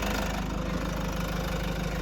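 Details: Toyota Hiace D4D diesel running after a no-start, no-click fault was traced to a fuse with no supply and bypassed; charging voltage rose from 11.5 to 13.3 V. Smooth, even diesel clatter at steady idle with no misses or knocks. Normal idle.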